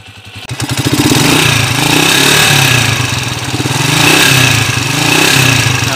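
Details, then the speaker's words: Motorcycle single-cylinder engine (TMX155) runs with loud metallic clatter, owner notes a noisy timing gear and heavy leak; heard before the rebuild with original parts. "number one maingay timing gear tapos kalakas ng tulo"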